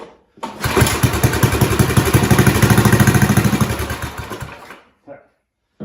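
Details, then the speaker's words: 1970s snowblower small engine being revived, started with throttle on slow before any carb cleaning: catches and runs with fast, steady firing pulses for about four seconds, then shuts off; sounds healthy, normal start and run. "Well, that sounded pretty good. That sounded really good."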